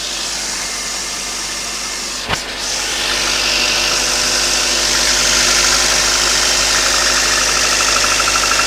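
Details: Toyota 5A-FE engine at cold idle: regular sharp knock about three per second over engine hum, starting around 15 seconds in; owner suspects it is under the valve cover, not confirmed.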